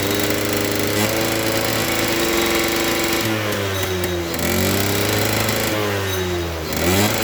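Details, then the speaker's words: Suzuki RC100 two-stroke after cleaning the carburettor pilot and main jets; buzzy revs rise and sag unevenly and never reach a clean high note, feels fuel-thirsty with heavy throttle; possibly running too rich, stutter at high throttle. "Tetapi di sini gasnya ndak bisa meraung tinggi karena sepeda motor ini terasa terboros, terasa boros ya teman-teman, boros BBM yang saya maksud, karena gas-gasannya ini berat."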